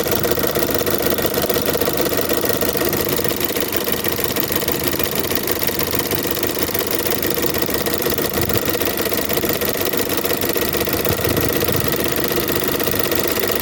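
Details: Chevrolet Onix 1.4 or 1.0 engine at idle with a quick, regular tick of about three per second over the engine; a tapping noise described as a common, easily fixed defect, cause not pinned down.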